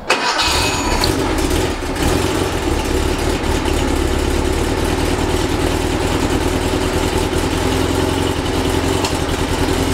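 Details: Rebuilt 1835cc air-cooled VW engine with vintage speed muffler, first start after rebuild with good oil pressure: catches within a second and settles into a steady, even air-cooled idle clatter with no misses or knocks; ran with no real problems.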